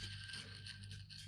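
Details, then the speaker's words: Subaru Legacy 3.0 during timing chain reassembly, timing idler pulley spun by hand: dry, gritty rasp with uneven rough pulses, a bad bearing, not completely shot. "i don't know if you can hear this but listen can you hear it that's the sound of a bad bearing not completely shot"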